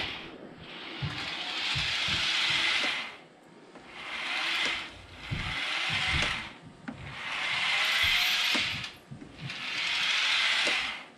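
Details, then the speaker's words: Realtrack Class 156 model train (RT156-312), powered bogie tested on its own: a shrill squeal that rises and falls as the motor runs in one direction only, silent in the other; suspected dry wheelset bearing. "It doesn't make any noise that way. It's squeaking this way."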